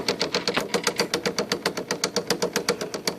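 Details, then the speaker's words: IBM Selectric II correcting typewriter running: rapid, regular thumping about four times a second with a clacky ring. The center hub is cracked all the way through, and the machine freezes when keys are hit. "That is the sound of a hub, center hub gone bad. That thumping sound. That hub down there is broken."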